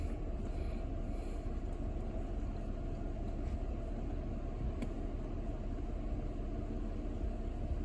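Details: Toyota Camry V6 with misfire and idle vibration: low even rumble, no stumbles or skipped beats; misfire counts read zero, smooth idle.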